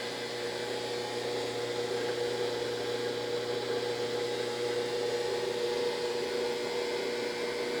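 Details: Brastemp BWG11AB washing machine stops mid-program and won't spin: steady, loud mid-pitched whine over a low hum with no change, as if the motor strains against a stuck drum.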